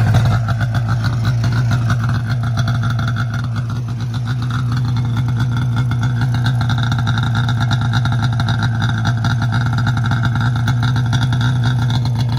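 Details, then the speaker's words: 2002 Arctic Cat ZR500 two-stroke snowmobile just started cold with the key; steady low burble settling into even idle, no misses or knocks, may need a tune-up but runs well; normal idle. "i'm going to fire it up right now while it's cold so you guys can see how good it starts it's a good running sled for sure"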